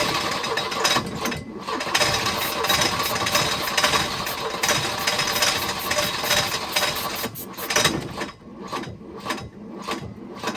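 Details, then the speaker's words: Volvo 242 retrieved from the woods, first hot start attempts: ragged, sputtering firing with dropouts, never settling; owner thinks ignition timing still too far advanced, or possibly 180 degrees out. "Still too far advanced, I think. Could also be 180 out."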